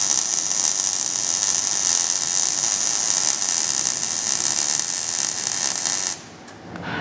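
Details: Even, crisp frying sizzle with no pops or sputters until the arc cuts off: smooth, steady MIG (GMAW/MAG, active gas mix) arc laying a fillet weld, quarter- to half-inch stickout; normal arc.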